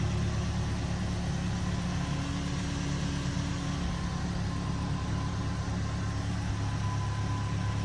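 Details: 2010 Ford Ranger after fuel pump replacement (would not start before): steady even idle with smooth low rumble, no stumbles, knocks or surging; engine running healthy.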